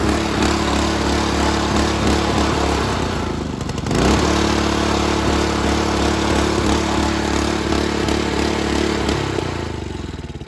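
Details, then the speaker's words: Honda GC160 5 hp on a Little Wonder walk-behind leaf blower, rebuilt with new crankshaft, running cold on choke: speed swings up and down, dipping hard around four seconds; cold hunting, carburetor to be checked. "So I noticed when it's cold, it does rev up and down, it hunts."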